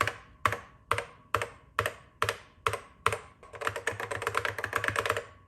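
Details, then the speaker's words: Original yellowed 1984 Macintosh keyboard, possibly mechanical rather than rubber dome: crisp keystrokes, each with a short hollow ring, then quick typing; the echo is normal for how these keyboards were made. "I had heard that these original Mac keyboards can be very echoey, and yes, it is echoey."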